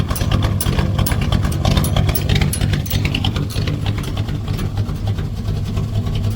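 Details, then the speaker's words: 1965 Chevrolet C10, 283 small-block V8, after swapping points for HEI ignition, cold start with no choke, a little slow to start: settles into an even, steady low idle with no misses; ignition running clean. "That hi has made a difference. I mean a difference. It's so good now. So good."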